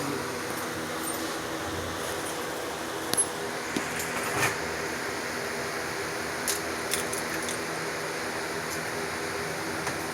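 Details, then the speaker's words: Pontiac Grand Prix petrol engine idling evenly after reassembly of injectors, fuel rails and MAP; sounds more stable with no vacuum-leak hiss; started from cold, so needs 15–20 minutes running and coolant bleeding. "Sounds a little more stable. Yeah, I don't hear any vacuum leak."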